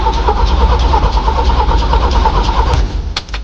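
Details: Jeep CJ cranked without throttle, since gas usually floods it: steady even cranking about three turns a second with no firing, then stops; starter and compression sound fine, it just won't catch.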